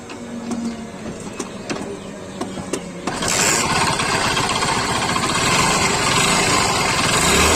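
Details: Old-model Hero Honda Splendor motorcycle engine making a loud noise: sharp regular ticks about 2.5 per second, turning into a busy rhythmic clatter when revved; crankshaft noise, likely worn crank bearings.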